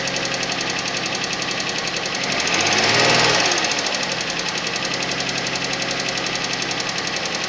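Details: Suzuki Vitara engine at cold idle with steady knocking about four per second and one swelling rush of noise midway; cold-start knock of unknown cause.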